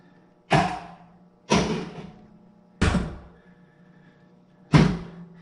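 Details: Pinball machine solenoid test using a jumper pin: four separate solid thunks, each a sharp hit with a short ring, one coil after another. Every coil is firing cleanly.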